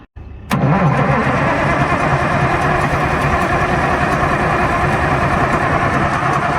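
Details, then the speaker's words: Allis Chalmers HD11 crawler dozer diesel that sat 3 years, oil topped up and batteries fitted, tried with ether: starter churns it over steadily but it never catches; no start, fuel delivery to be checked by cracking an injector line. "Well, John said ether alone's not working, so now we're going to crack ejector line, see if we can get any fuel through, and then probably go back to ether."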